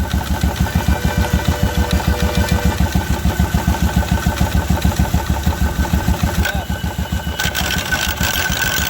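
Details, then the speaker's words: 2016 Royal Enfield Electra 350 single-cylinder idling about three beats a second with clutch cover opened, loose metallic rattle on each beat from the clutch side; bearing there is worn out and can't simply be replaced. "इसका bearing खराब हो चुका है है और अब हम इसमें नया बैरिंग नहीं डाल सकते"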